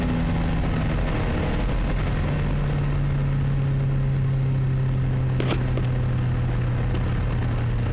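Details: Toyota Carina 1.6 16V at idle with one bad injector, believed caused by running bad fuel; low steady hum with slightly uneven, lumpy beat underneath, one cylinder not firing; misfire from faulty injector.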